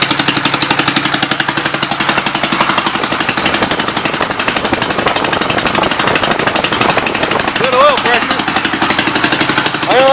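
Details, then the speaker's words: 1952 Gravely L single-cylinder, warming up, leaking oil but no blow-by or smoke: steady, even chuffing with no missed beats or knocks; runs surprisingly well. "I am really surprised at how this thing runs."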